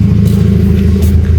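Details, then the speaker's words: Kia Picanto after ECU repair of a shorted injector driver IC that held injector 2 open, causing misfire and white fuel-smelling smoke: strong, even rumble, steady firing, no miss; engine normal, no smoke, check-engine cleared. "Sudah normal ini suara juga sudah normal baunya sudah khas injeksi knalpot juga tidak berasap lagi."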